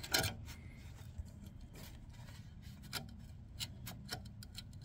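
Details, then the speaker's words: Honda EU3000is generator that pull-starts but won't start on the electric starter, bell housing removed: rotor turned slowly by hand gives irregular scratchy crunches and faint clicks; the stator assembly is crunchy and the magnets are visible, with loose rotor magnets dragging. "so what we got there's the coil so this thing is crunchy okay this is whole stator assembly is crunchy and in a position hear that not good right I can see magnets"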